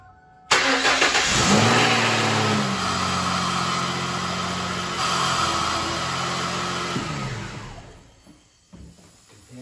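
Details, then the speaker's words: Ford Mustang, first brief start after a transmission rebuild with 5 quarts of trans fluid, expected to be drawn into the torque converter: cranks, catches and runs about six seconds with a harsh, uneven drone. Rough running was expected. "That sounds pretty horrible, but I kind of expected it to."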